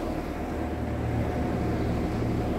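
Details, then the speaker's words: Vintage Sears Homart belt-drive window fan, 1/6 HP Craftsman motor, on high after oiling its porous bronze bearings with 30 weight oil: steady even hum, no knocking or scraping; owner guesses slowness at start was a centrifugal switch kicking in. "i think when it's sort of slow there at the beginning there at first was the centrifugal switch kicking in or something like that"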